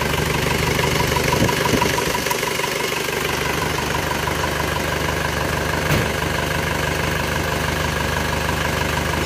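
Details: Isuzu Panther diesel after rebuild with cast liners, on FX Titan oil: smooth, even idle with a faint puffing tick on the exhaust note. The exhaust flex pipe is leaking and is to be repaired.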